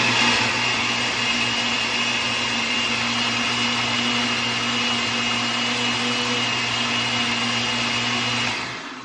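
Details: Blender crushing ice: even, steady motor whine with a constant hum, then it winds down. Owner felt the motor was wearing out and heard grinding; WD spray later helped. This clip sounds like normal running.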